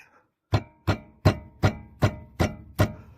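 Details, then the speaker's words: 2015 Mazda 3 1.5 on rough, uneven road: seven sharp metallic clunks, about two and a half a second, from the brake caliper knocking on worn guide pins with play; pins to be replaced. "Voilà le bruit métallique que vous entendez. C'est l'étrier qui frotte contre l'axe. Ce problème est dû à un jeu dans l'axe."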